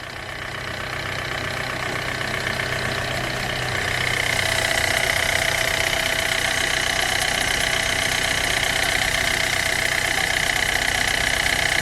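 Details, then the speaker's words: Hyundai Getz engine at 149,000 km, after clutch kit and oil pan gasket replacement for oil loss and poor pulling: steady, even idle with a smooth firing rhythm and no knocks or misses; runs cleanly. "araç gayet güzel çalışıyor saatlerimi çok güzel"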